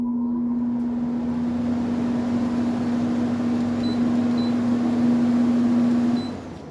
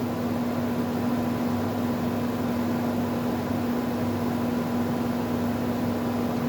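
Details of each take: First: GE/Haier 10,000 BTU R32 window air conditioner with ball-bearing fan motor, fan switched back on: steady smooth hum on one even low tone, no rattle or scrape, winding down at switch-off; normal fan running. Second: R32 10,000 BTU GE/Haier air conditioner on test: steady motor hum with a faint, unchanging rough grumble; owner suspects the motor bearings will fail in later years; not confirmed.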